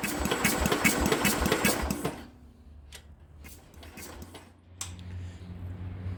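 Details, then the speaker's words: Speedex 1630 garden tractor, last try on the old leaking carburetor with spark confirmed and spray in the intake: the starter churns fast and steady for two seconds, then stops without firing; cranks, no start. "She's trying, but she ain't wanting to do it."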